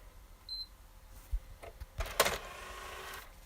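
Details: PS4 disc drive: a soft click, then a short, smooth motor whir as the disc is pushed out, with no grinding or hesitation. Normal disc eject.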